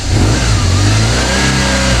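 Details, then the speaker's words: Engine that hadn't run for over a year, first start: fires and revs up cleanly, pulling crisp and steady with no rattle or misfire; sounds good, normal running. "Not bad. Okay, it hasn't run for over a year. Yeah, not bad at all. Sounds good. Sounds good."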